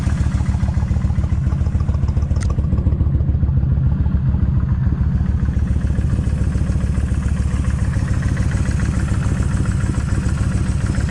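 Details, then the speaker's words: Kawasaki Vulcan 1600 at about 69,000 miles with its original cam chain adjusters: steady V-twin idle with a faint, regular light tap toward the front cylinder; light ticking at idle, owner suspects the front cam chain adjuster. "right okay they just a little bit of a tap right in here that's okay maybe it'll go away maybe it'll stay I don't know"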